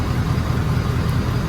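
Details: 2017 Ford Powerstroke diesel pickup after fuel filter and water separator change with SPE billet drain: low, even diesel rumble at idle with steady beat and no misses or knocks; running clean.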